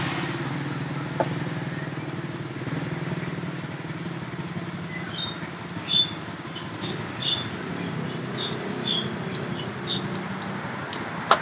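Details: Honda Beat ESP scooter whose electric starter had failed despite a good battery: the engine now runs smooth and steady with an even low hum and no misses; normal running.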